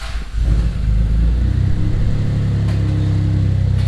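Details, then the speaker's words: Rebuilt forged 6G72 twin-turbo 3000GT VR4/Stealth (15g turbos, stage 2 cams, bored 15 over, straight-pipe exhaust, E85 pump, standalone ECU) fired right up before its first drive; alternator reads 14.36 V, warming up. Deep, even, steady idle with no ticks or knocks; healthy. "all right boys she's running fired right up like usual timing's still good"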